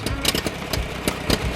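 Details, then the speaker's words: Massey Ferguson 135 tractor, Continental 2.4L gasoline 4-cylinder, after new coil, rotor and distributor, compression 85–90 psi dry: weak, uneven idle with irregular pops and dips, revs rising then falling, hunting and stalling; owner suspects fuel starvation. "It just doesn't want to run."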